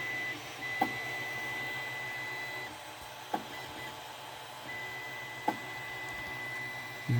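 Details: 3D printer two hours into a five-hour print: sharp knocks every two seconds or so over the steady motor hum as the drive wheels try to force filament through a clogged nozzle. Owner suspects bed misalignment jammed it; extruder skipping.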